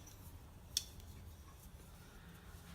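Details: Scorpion 6 EOS frame-lock folding knife with a built-in overtravel guard: one crisp, sharp click as the lock bar snaps into place against its travel stop; clean and positive, working as designed.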